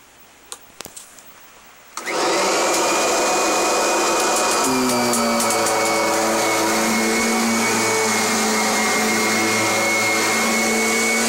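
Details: Kirby Generation 4 (1995) or G10 Sentria (2011) upright vacuum: the motor switches on after two seconds and climbs to a steady high whine that holds evenly; normal running.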